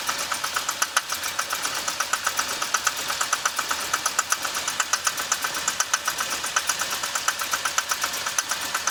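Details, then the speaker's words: 2006 Chevy Impala 3.5 V6 flex fuel, hood open: uneven rough idle with sharp ticking about four per second and an unsteady beat. Burning smell, reduced engine power, traction service light, stalls while driving. Codes P301 and IAC; cam sensor and cam magnet already replaced. Cause not found. "It's a rough item. You see it? It's like, it smells like something burned or something burning right."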